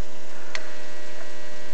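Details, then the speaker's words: Compact fluorescent lamp on a ferroresonant regulator transformer: steady harsh 120 Hz buzz as the ballast filter capacitor draws charging current spikes 120 times a second; an incandescent lamp gives only a startup tick. "what is with the compact FL lamp you can hear a [Music] buzzing and that's cuz the uh that is again the 120 times a second you're hearing that surage current"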